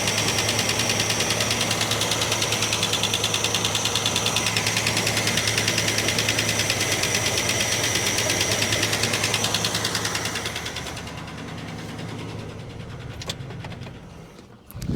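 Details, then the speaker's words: 1967 Plymouth Barracuda, long unused and misfiring: dull lumpy idle with regular thudding pulse, sounding very flat, then dies; owner suspects distributor turned too far out and timing set wrong, as vacuum advance hits the coil. "It sounds like it's really It's really, really flat."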